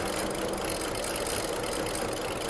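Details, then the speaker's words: 2010 BMW 535i E61 wagon (automatic, AWD, auction car) barely staying running at an uneven, stumbling idle with a faint tick. Low fuel rail pressure is measured; misfires are later logged on cylinders 1, 2 and 4. "let's see if we can get it running and I can run around it quick enough to see what fuel pressure is stay alive yeah it's got low rail pressure all right let's get back"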